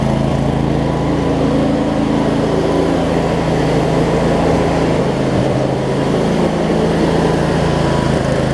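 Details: Craftsman DLT 46" riding mower, 25hp Briggs and Stratton V-twin, first run after sorting basketcase wiring: steady, even low drone, no misses, surges or knocks; runs good, some smoke burning off around valve covers. Normal running.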